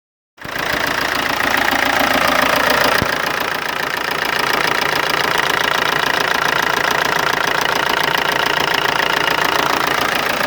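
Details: MG ZR TD diesel idling with a steady, sharp tick, about three to four per second, over the diesel clatter; engine ticking at idle, cause not identified.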